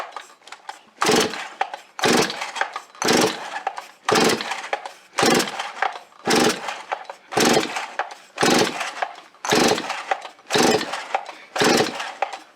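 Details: Rebuilt Stihl 026 chainsaw on fresh high-octane fuel, first start after reassembly: revs up crisply about once a second and drops back cleanly, picks up throttle readily and runs smooth; normal running.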